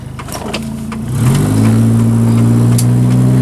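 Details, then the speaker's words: Car bought for one dollar, radiator just replaced: engine pulls up through the revs with an overly loud, deep, raspy note and a puffing edge under load from an exhaust leak; motor mounts also need replacing. "now obviously you guys can probably hear the exhaust sounds a little loud there is an exhaust leak i'll take care of that"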